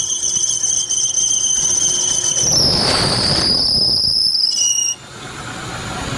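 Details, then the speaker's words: Hyundai i10 1.1 CNG engine just started after spark plug cable refitting for misfire and backfire: loud steady high-pitched belt squeal over the running engine, briefly dipping in pitch before cutting off. "तो गाड़ी start हो चुकी है friends एकदम ये फिर से belt का नॉइस ए रहा है"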